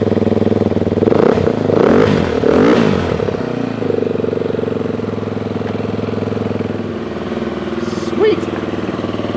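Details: Dirt bike after a non-working Beta fuel pump was fixed, no cold-start control: after a few throttle blips it settles into a steady, even idle with no misses or knocks; running healthy.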